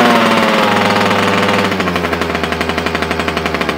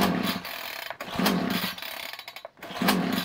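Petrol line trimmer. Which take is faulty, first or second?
second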